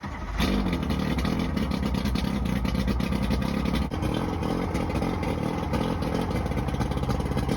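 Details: Johnson 90hp outboard runs rough with a choppy, stumbling beat; two starboard-side cylinders misfire, showing no response to starter fluid sprayed into their carburetors; bad power pack most likely suspected, not confirmed.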